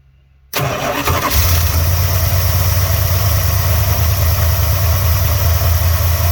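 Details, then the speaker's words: 1986 Dodge Ramcharger, start after carburetor cleaned and reinstalled, fuel primed from tank to filter: quick catch, then deep, smooth, even idle that settles and holds without stumbling; starts and runs properly, though owner may be low on gas. "You've seen that it's running, okay? I just got to get some gas up here to the carburetor."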